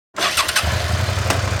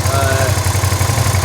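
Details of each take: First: V-twin motorcycle just washed idles with a lumpy, uneven thump; water in the front spark plug hole is causing a misfire, with the front cylinder not firing at all. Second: Motorcycle twin with a misfire caused by water from washing. After spraying WD-40 EZ Reach onto the wires and into the spark plug hole: steady, even low thumping at idle, both cylinders pulling, no skipped beats; misfire gone so far.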